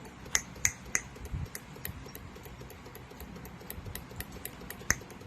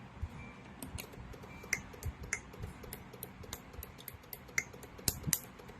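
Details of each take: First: Honda City CNG with engine shake at idle in gear: coil 1 under test with sharp, steady spark snaps, no missed or skipped firing, and no high-voltage leakage (coil 2 later leaked badly). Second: Honda City CNG with engine shaking at idle in gear, ignition coil leak test: sharp, irregular snapping clicks over a low hum as coil number 2 leaks high voltage fairly strongly; coil 1 fine.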